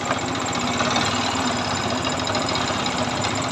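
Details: Yamaha R15 V2 motorcycle: fast, harsh clatter over a steady engine note throughout; abnormal engine noise, cause undetermined.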